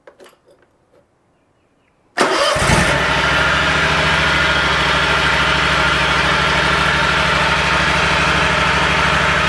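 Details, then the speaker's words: Exmark commercial zero-turn mower with Kawasaki FX651V engine, started after an oil change and left running a few minutes to circulate oil: catches cleanly into a steady, even idle with no knocks or misses. "I'm just going to crank it up and let it run for a few minutes, let the oil circulate, and then I'll recheck it."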